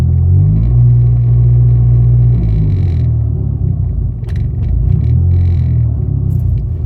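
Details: 2005 SRT-4 at idle with recently replaced clutch and clutch/transmission accessories; low steady idle rumble where revs lift slightly then settle, happening only sometimes; owner unsure of cause; idle surge.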